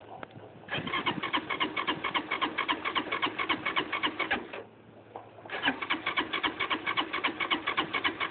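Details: LF200III bike that won't start: starter cranks the engine at a steady chuffing rate of about four beats a second in two long bursts, but it never fires.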